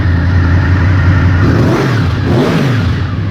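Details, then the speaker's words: Honda motorcycle: catches and runs steady, then blips up and settles back cleanly with no misses or knocks; healthy running. "little reliable honda they're real good"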